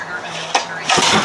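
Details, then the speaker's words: 1974 Johnson 25 hp outboard, pull-started with the choke on after a compression test showing the top cylinder at only 90: a sharp single pop, then a ragged burst as it backfires; owner suspects the coil or points wires are swapped. "Whoa. Whoa. That's a backfire. Do I have something switched around in here?"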